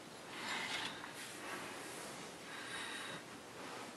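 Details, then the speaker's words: Monoprice 8-inch subwoofer on Q5 amplifier via Onix RCA pigtail: soft rhythmic breathing-like whoosh and hum, unaffected by volume; new cable had no effect, owner guesses internal failure. "as you see there was no effect as my fact that seems to be a nasty hum alternative the volume or put-down doesn't make a difference"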